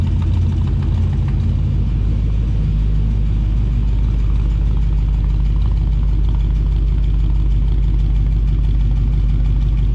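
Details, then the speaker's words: 1990 Chevrolet Suburban squarebody with 6.0 LS swap, new true dual exhaust with glass pack mufflers; loud deep V8 idle with rough low rumble and rattle, likely from missing gaskets between manifolds and pipe. "Yeah, we don't have the gaskets in from, you know, the headers, well, I mean manifolds to the pipe. That's probably where the rattle's coming from."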